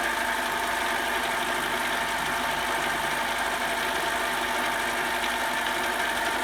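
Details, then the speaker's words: Mini metal lathe, repeat 30 thou cut after tightening the tool post, with lubrication and higher rpm: steady high ringing tone with only a faint buzz left; chatter much reduced but still slight out at the unsupported end. "that's much better still got a little chatter out here"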